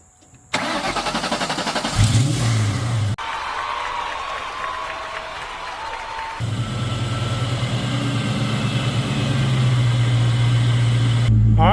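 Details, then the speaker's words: Son's car with a no-start caused by poor connections, after ground wires were cut, re-terminated and tightened and battery terminals cleaned; brisk, even cranking, catches quickly and settles into a steady idle. Normal crank and start. "so we got all the lights was working as you saw it cranked up perfect we got good battery voltage over there"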